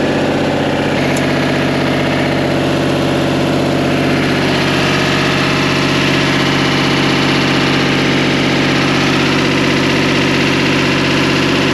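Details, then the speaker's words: Tower drive motor: steady deep hum that bogs down and strains as it loads up moving the next tower, then holds even; towers move one at a time, working normally. "you hear that motor bogging down that means it's making it the next hour move it kind of moves one tower at a time and hear that motor load up means another tower moving"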